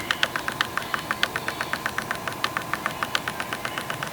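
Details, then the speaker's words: Sigma 85mm f1.4 Art DG HSM lens, adapted to L-mount on a Panasonic Lumix S1, in autofocus: rapid sharp clacks, about four a second, as the motor slowly hunts for focus, too noisy for video. "for video work you definitely can't use this lens in auto focus because it's very noisy you can hear the clacking of the motors as it's trying to keep focus on your subject"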